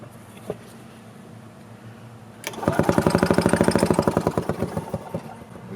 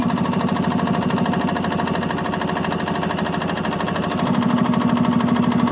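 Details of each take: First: 1986 Yamaha G1 gas two-stroke golf cart that shut down while driving; choke made no difference, fuel smelled like diesel, compression okay. Rhythmic cranking chug about three per second that never catches; cranks, no start. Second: 1986 Yamaha G1 gas two-stroke golf cart after the carburetor was cleaned (it had been cranking with no start and fuel that smelled like diesel): quick, steady putter at about three pulses a second, even firing and no misses; repair successful.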